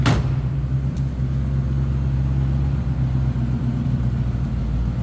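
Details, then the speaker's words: 1965 Ford Mustang convertible 289 V8, just started cold and warming up, good throttle response: deep steady rumble, even exhaust beat, no ticks or misses; normal idle. "Also hear that 289 sounds good."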